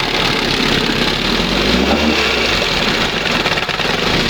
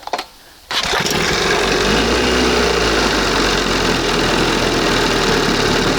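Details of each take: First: 1971 Johnson 20 hp two-stroke outboard after carburetor mixture and idle stop screw adjustment, throttle at first mark: busy, buzzy idle with a fairly even rhythm, no stumbling or sneezing; normal idle. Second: 1971 20 hp Johnson two-stroke outboard, after dremeling the throttle cam: fires up and runs with crackly, uneven popping over the buzz, too lean; mixture later turned back slightly.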